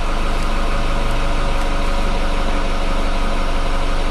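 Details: Renault Megane 2.0 at idle: steady idle with a faint rapid tick about four a second, owner attributes the noise to the variable cam pulley.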